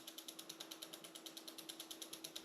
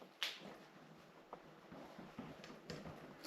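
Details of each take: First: 1990 Raleigh Pioneer Trail hybrid, Reynolds 501 frame, near-mint and all original: quick, even ticking of about eight clicks a second as the rear wheel coasts, no grinding; the freewheel and hub bearings sound healthy. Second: 1990 Raleigh Reynolds 501 hybrid trail bike, front end jolted: a few sharp, irregular clunks; headset bearing very loose, to be removed, cleaned, inspected and repacked.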